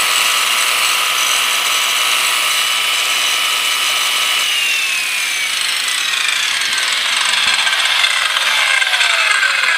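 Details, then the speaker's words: USA-made Skilsaw circular saw right after replacing worn brushes: steady high motor whine with rough brush hiss, then pitch falls smoothly as it coasts down; normal running, new brushes still sparking and breaking in. "So they might have to break in a little bit. Hopefully that sparking goes away."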